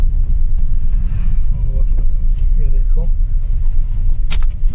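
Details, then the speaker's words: Maruti WagonR after drive shaft repair, road test turning left and right: only smooth road rumble with no rhythmic clicking; the loud kat-kat knocking heard while turning before the repair is gone. "इसको left आप सुन पा रहे होंगे कोई आवाज फिलहाल इसमें नहीं है य राइट में भी कोई आवाज नहीं है"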